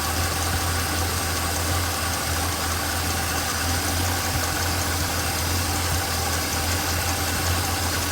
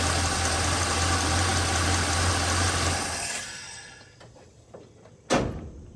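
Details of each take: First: Small-block Chevrolet V8 at idle with one rocker deliberately backed off during valve adjustment: fast light clatter ticking with engine speed. Valve lash clatter. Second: Small-block Chevrolet 350 after valve adjustment, rockers set to factory three-quarter turn past zero lash: smooth, even idle for three seconds with no valve clatter, then shutdown; normal idle.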